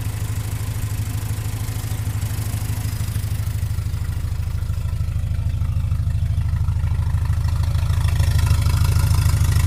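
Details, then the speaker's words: Cold idle at 900 rpm without the choke on an Opel GT just converted from a Weber 32/36 to a Weber 40 DCOE on a straight-shot manifold. Idle screws about 3 turns out; it had flooded just before. Steady low thrumming, even pulse creeping up near the end; a mechanical choke is fitted but unused. "So right now the RPMs are at 900. That's because I should have the choke on."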